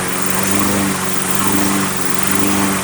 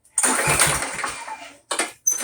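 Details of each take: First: Briggs & Stratton Quantum Craftsman mower after storage with old fuel, started on starting fluid with air cleaner off: engine hunts up and down for a few seconds, then settles into an even run; full carburetor cleaning still suggested. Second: Briggs & Stratton Quantum Craftsman mower after long storage with old fuel: repeated recoil pulls spin it with a dry whir and it never fires; later traced to suspected clogged carburetor main jet starving fuel.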